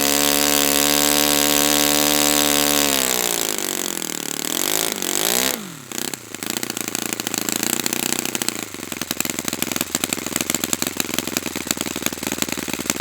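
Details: Brand-new Saito FA-100T twin, final break-in run, restarted still warm without priming or choke; starter whirr winds down, then it catches into an even, steady four-stroke beat. Normal running, called spectacular.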